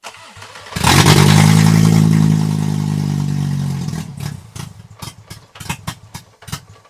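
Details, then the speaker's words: Mk2 VW GTI with swapped 5-cylinder 07K engine, recently first started, grounds and power checked: cranks, catches, revs briefly, then sags and stumbles with irregular popping and sputtering; rough running, cause undiagnosed. "now with water flowing through this engine we need to diagnose why this car is running like crap"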